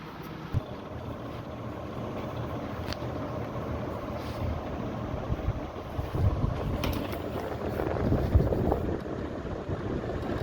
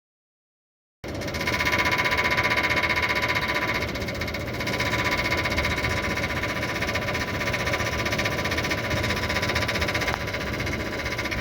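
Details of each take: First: Voltas window AC after hammering back rust-swollen body where the fan blade hit it: steady low even airy rush, no scraping or knocking. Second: Voltas window AC: harsh steady rattling knock about four strikes a second, fan blade hitting outer body that rusted and swelled upward over time; fixed by tapping body down with hammer.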